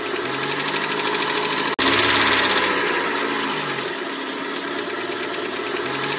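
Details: 1991 Mercedes-Benz 190E 2.0, cold engine only; fast, light clatter of three or four ticks a second over the idle; at least one hydraulic lifter was sticking, and replacing the lifters stopped the noise completely: hydraulic lifter tick.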